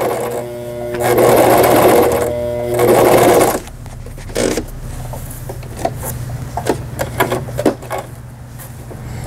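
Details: Brother XL5500 sewing machine after a full repair for a bent needle bar, sewing a rolled hem on thick fabric. Two smooth, even bursts of fast stitching with a steady needle rhythm and no knocking or grinding; normal operation.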